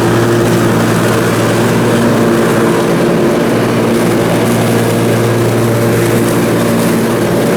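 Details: Briggs & Stratton Intek M44 twin engine after a full twin-carburetor tear-down and clean, while mowing: steady, full drone holding pitch, no hunting or surging; sounds way better. Normal running under load after repair.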